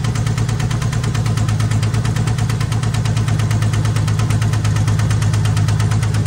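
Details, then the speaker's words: AMC Hornet, probably a 1978, idling while the carburetor is adjusted: a steady rapid knock about three per second over a deep drone. A rod knock is suspected. "sounds like a rod knocking [Music] sure sound like a rod knocking to me"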